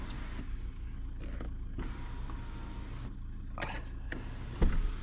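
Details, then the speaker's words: Skoda Octavia 1.9 TDI: quiet, even electric sunroof motor hum without grinding or clicking, stopping cleanly; sunroof fully working. "yeah, there we are, fully working."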